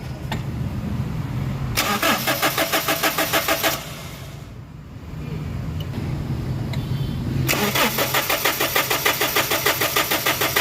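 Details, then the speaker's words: Common-rail diesel cranking with fuel line opened for bleeding: steady starter cranking about 200 per minute in two bursts, never catches; no fuel reaching common rail, no rail pressure, crank no start. "Okay, so makikita nyo guys na walang supply yung kanyang fuel system, especially yung common rail, kaya ang mangyayari nito, hindi talaga siya aandar."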